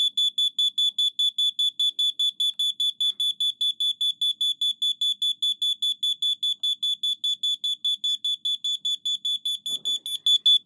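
Loud high-pitched beeps about two and a half per second, steady and even throughout; the smoke alarm is sounding as it should.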